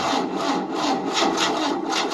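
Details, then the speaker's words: 1988 Tennant 255 Series II sweeper, new fuel line, choke on and starting spray used: slow, labored cranking at two to three strokes a second never catches; long-dead battery lacks power to turn it over. "The problem is, there's not enough battery power. And the battery's been so dead for a long time."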